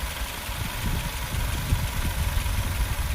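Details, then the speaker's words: 2021 Maruti Suzuki Swift Dzire Tour CNG, dual petrol/CNG: steady, even low idle with soft regular firing pulses, no knocks or vibration. Engine idling smoothly and healthy. "So engine sound అయితే చూడండి so smooth గా engine కూడా ఎక్కడ vibration లేదు చూసారా"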